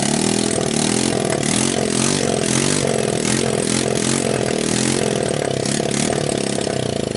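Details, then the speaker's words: Returned TMEC 150cc GY6 clone scooter engine, test-started in its shipping box on a jump pack and portable 12 V CDI, no muffler: starts at once into a loud, raspy, fast idle, rising briefly with throttle and settling evenly; runs healthy. "so there we have it obviously it starts and it runs"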